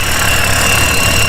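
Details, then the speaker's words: Rough idle with check engine code for VCT solenoid: thin high whistle over uneven idle, suspected leak at valve cover ventilation seals; exchanging VCT solenoids didn't fix it, possible valve cover hairline fracture. "then you're gonna have the one on the top which is that intake side you can hear the whistling but also we we exchanged these out and it's still having a rough idle"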